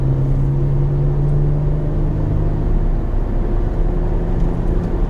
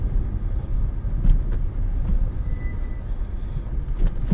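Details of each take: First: Peugeot 406 V6 while driving at 2,000 to 3,000 rpm, gone above 3,000 and not heard when stationary; deep steady drone: vibration at the joint where the center pipe meets the pipe from the engine. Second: Peugeot 406 V6, first cold start of the morning after exhaust replacement; now quieter. Soft, deep rumble with no puffing, ticking or raspy blowing; exhaust sealed, normal cold start idle.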